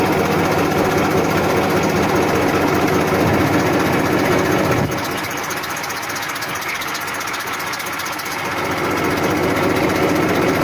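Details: 1994 Massey Ferguson 1035 DI tractor diesel at idle: even beat of about 2.5 pulses per second, smooth hum, no knocks or rattles; normal idle.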